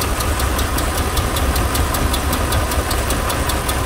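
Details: 2004 Dodge Ram 1500 4.7 L V8, fresh oil change after running a quart low and dirty, P0522 oil pressure code: rough, stumbling idle with crisp tick from the right bank; cam follower dropped out of cylinder 4 exhaust, likely collapsed lifter, causing cylinder 4 misfire.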